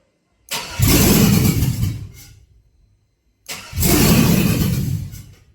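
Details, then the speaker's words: Cadillac Escalade 4.8 V8, not run in a while, being revived: spark and injector pulses present, fuel pump heard, but it cranks, catches and roars briefly, then dies each time; VATS suspected. "Another thing I haven't thought about either is the VATS. Because it starts and dies. I don't know. So, but it does fire off. It does crank over."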